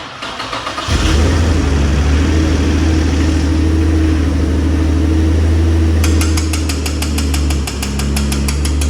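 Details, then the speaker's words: High-mileage Infiniti G35 after twin turbo install, first start on base map tune, 91 fuel, return-style fuel system with pressure regulator: short crank, fires quickly, settles to smooth steady idle with no knocks or misfires; sounds healthy. "overall though, it's cool. It sounds healthy."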